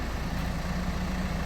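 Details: Smooth, steady idle on a Hyundai Tucson after a crank/no-start complaint was traced to a faulty key remote; even hum with no knocks or misses.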